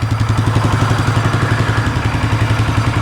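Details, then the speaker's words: 2015 Polaris Sportsman 570 EFI single-cylinder ATV that sat outside for years, reportedly "blew up"; owner unsure if it hydrolocked from water. Warming up after revival: even, regular low thumping with no knocks, misses or clatter. Engine quiet, clean normal idle. "it's idle and perfect but I don't want to give it any [Applause] gas man the motor is absolutely quiet"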